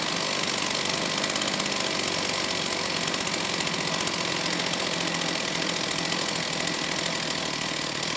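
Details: STIHL 028 AV Super chainsaw, rebuilt by an inexperienced friend with non-OEM parts after straight-gas burnup; at high idle, choke off, low speed opened slightly, harsh buzzy whine wavers unevenly, poor response coming off idle, slightly lean at high speed; crankcase air leak.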